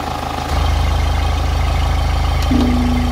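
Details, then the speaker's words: Diesel with a heavy-smoke complaint and uneven injector values on the scanner: steady, even idle clatter with no buzzing that would point to a bad injector or cam follower, so the valvetrain and injectors sound normal. "I told you that if the injector is bad or the cam follower is bad, I'll make a buzzing sound This doesn't have that sound right now"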